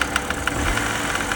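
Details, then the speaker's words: BMW E90 330xi at idle: sharp metallic ticks, roughly seven per second, over the idle; not accessory drive. Oil filter housing later found full of metal glitter, so internal engine knock from shedding metal; engine judged toast. "It definitely doesn't sound like accessory drive. He's really not happy now. I think this thing's toast."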